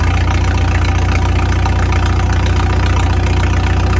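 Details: 1955 Farmall 300 row-crop tractor, straight pipe, after sitting 14 years, with governor and throttle shaft refitted to cure the high rev: steady, even low thump at idle, about 220 beats a minute, no misses or knocks.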